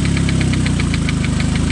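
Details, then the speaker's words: Petrol engine at rough idle with a sharp, regular knock about eight per second deep in the bottom end, suspected connecting rod knock on the crankshaft; to be checked with a screwdriver and by pulling the coils one at a time. "hear that sounds like rod knock right there like the connecting rod is banging up definitely on the on the uh prank shot"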